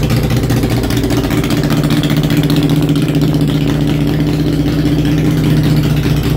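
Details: Honda Shadow V-twin after a homemade single-carburetor intake manifold conversion, started on choke: an even, low throbbing idle with a steady beat and no misses or rattles. Normal idle.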